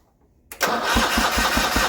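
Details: Original 1980 John Deere 317 garden tractor, unrun about three years after an electrical fault, cranking on a new battery: the starter turns it over at about five beats a second but it never fires; cause unconfirmed.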